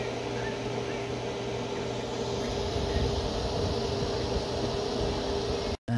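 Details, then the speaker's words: CyberPower PC, generic no-name power supply, after about a month of use, fan blowing out the back, case running hotter than normal: steady heavy airy roar with low hum, like a vacuum cleaner; fan running far too hard. "you guys hear that that sounds like a vacuum cleaner"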